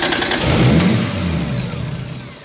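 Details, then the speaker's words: Mk3 Toyota Supra running on a new trigger kit and new exhaust; catches at once, revs briefly, then settles to a smooth run with no misfire, much better than before. Normal start. "that was so much better that sounded sounded so much better"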